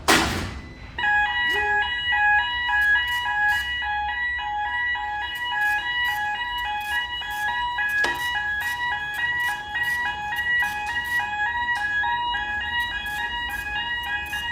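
A repeating high electronic alarm tone keeps sounding steadily over a quiet room; this is the switchboard blackout alarm after the generator breaker tripped.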